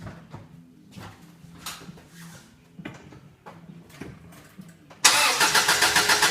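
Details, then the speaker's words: 2001 Subaru Outback, first start of the rebuilt engine with new head gaskets and machined heads. Quiet clicks, then it catches at once and settles into a quick, even pulse: normal start and idle. "Look at that! Would you look at that? Sounds good."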